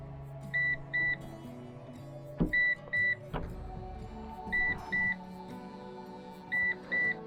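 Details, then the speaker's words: PowerShield Commander RT PSCRT2000 line-interactive pure-sinewave UPS with its hot-swappable battery pack removed while on AC mains; sharp high double beeps repeat about every two seconds over a faint hum. This is the battery-disconnected alarm, which PowerShield says triggers if a self-test starts while the battery is out. "chuông báo pin bị ngắt kết nối đang kêu bíp."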